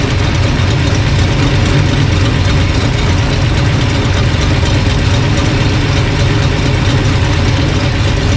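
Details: Old engine after sorting a bad distributor, timing being dialed in with timing light, about 180–190 temperature: even, deep idle with steady exhaust beat, no stumble or miss; normal idle.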